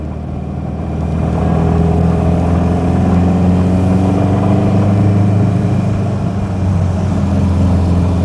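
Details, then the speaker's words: Subaru MV284/Brumby/BRAT pickup pulling away in first gear: a thin whine climbs with road speed over the engine drone from a notchy gearbox; normal first-gear transmission noise. "The gearbox very notchy. You can definitely feel the gears going in and uh bit of transmission noise is something you do get in Subarus."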